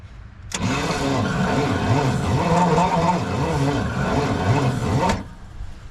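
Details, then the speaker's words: 1969 Pontiac Bonneville 428 wagon, sitting since 1981, on a fresh battery: starter drags the engine slowly and unevenly, about four laboured turns a second, never catching; slow crank, owner suspects a cooked starter or seizing engine. "All right, drink good, little buddy. Let's hit it. Oh, why the slow crank?"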